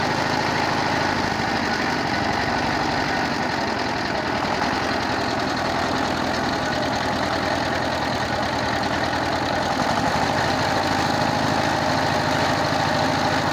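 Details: 22 HP diesel engine after replacing worn rocker arm shaft, broken rocker bush and grinding the head for low compression, tappets set by feel; even single-cylinder thump about 200 beats a minute with no extra knock, running normally.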